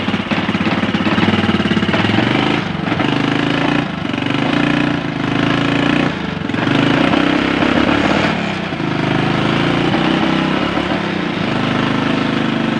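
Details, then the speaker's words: Honda Supra X 125 that would not start from lost ignition, after a new CDI is fitted: the small single-cylinder engine catches and runs on with a steady, fast, even putter, no knocks or misses; ignition restored. "Oke guys, motornya udah hidup."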